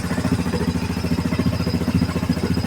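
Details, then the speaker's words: 2007 Yamaha Grizzly ATV after fuel pump replacement and fuel injector wiring fix: even, quick single-cylinder idle with no misses or knocks; starts and runs cleanly, though it smokes heavily under throttle, top end rebuild needed. "It's rolling. It smokes like no tomorrow though."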